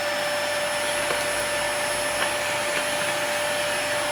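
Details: Dyson DC40 vacuum cleaner after broken hose repair and brush head service: steady strong motor whine with clean high airflow hiss, even throughout; running properly with good suction.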